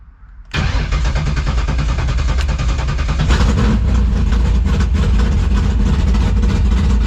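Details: 1964 Mercury Comet NHRA Super Stock drag car, 351 Windsor-based V8, 13.5:1 compression, timing locked at about 35 degrees, throttle pumped before start; starter catches and it fires straight into a loud, choppy, lumpy, steady idle while warming up; healthy.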